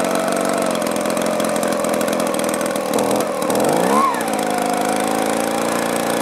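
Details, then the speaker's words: Echo two-stroke blower with four-month-old aftermarket carburetor, new plug and fuel filter, hard starting then quitting: buzzy running sags and wavers then recovers; debris particle suspected of obstructing carburetor port; bogging. "even though it hasn't been long maybe the carburetor got clogged up or gummed up let's pop that off real quick check it out"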